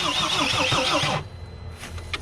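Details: Mercedes Sprinter diesel van with a new fuel tank and fuel pump, battery on charge: fast starter whir with compression pulses for about a second, no start. The fuel pump electrical connector was found disconnected, and the return line is leaking diesel.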